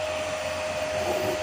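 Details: Home-built 15 A CT 55 power amplifier, just powered on via MCB: steady airy whoosh with a constant mid-pitched hum; a bit noisy because it has four cooling fans, which spin evenly and normally.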